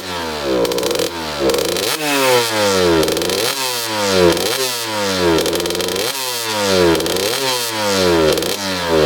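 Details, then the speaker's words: 2003 Suzuki RM125 two-stroke revving crisply and cleanly to high pitch without bogging after main jet changed from 145 to 155; no pinging on deceleration, carb now fuels properly. "all right so going from the 145 Main to the 155 now it sounds really really good so there's no pinging on deceleration"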